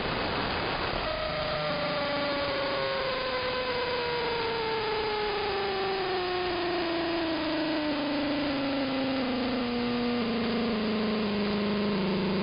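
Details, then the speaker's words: AM radio across the whole band picking up a buzzing whine that drops in small steps like a motor shifting gears; suspected electromechanical source, possibly a nearby industrial park, not RF; unexplained interference. "But you can tell it sounds like it's a motor of some kind. Here we go. And you can tell when it's shifting down, it sounds like a motor in stages. It sounds like it's shifting gears."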